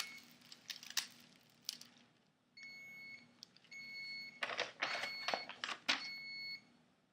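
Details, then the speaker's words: Thermal tattoo stencil transfer printer: steady high-pitched beeps repeat during a print amid paper handling noise; the paper was placed slightly off, so part of the image was missed. "as you hear beeping the paper was of course just a tad bit"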